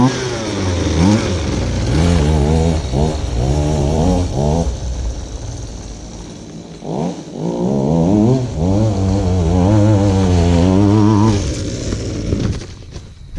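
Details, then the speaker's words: Goped-style folding scooter, small two-stroke, reassembled after repair, started on choke: buzzing and revving in short blips, picking up cleanly each time; runs good, normal. "that's one runs good"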